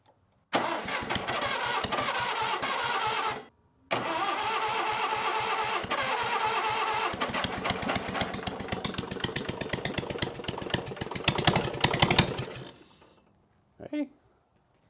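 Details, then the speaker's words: Onan engine on a Davis/Case trencher, intake manifold off, started on jump pack: cranks, catches, stops, fires unevenly, surging and fading before stalling; idle mixture too lean, wants more fuel, another quarter turn. "she's doing something if we open that another quarter turn can we get it to idle yes we can she wants more fuel"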